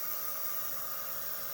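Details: Workhorse chassis 8.1 Vortec in-tank RV fuel pump running; steady whirring hum under soft fuel hiss, no surging or whine; normal fuel pump operation.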